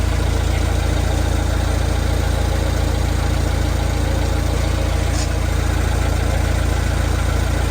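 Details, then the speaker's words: Vauxhall Vivaro B 1.6 CDTi diesel idling after a fuel filter change; it seemed to prime itself on the lift pump alone. Even idle with a steady low clatter at about two and a half beats per second, no hunting or misfire; runs smoothly. "which sometimes if you look it'll just keep it running enough to get the air through the filter without it cutting out but this seems to have managed to Prime itself just on the lift"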